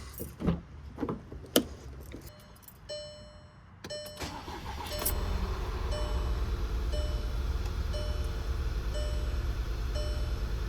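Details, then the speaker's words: VW Tiguan with failed cylinder 1 ignition coil, after short crank an uneven shaking idle with steady stumble on three cylinders; dead cylinder from the failed coil. "Okay, we're running on 3 cylinders. What's up with that, man? Okay, I took my known bad ignition coil and put it in number 2."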